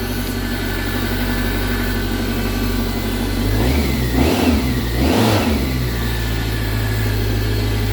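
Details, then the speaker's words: BMW K1100 motorcycle after fuel pump, fuel screen and filter replacement; even idle with two brief throttle blips, new pump audible but much quieter than the old one, no whine; runs smooth. "you can hear it but uh it's much quieter than the last pump"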